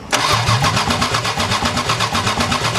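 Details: 4WD Daytona six-cylinder, engine uncovered in a tornado, 4 of 6 injectors rusted shut; power confirmed to injectors while cranking; starter cranks evenly with no firing; crank no start from stuck fuel injectors.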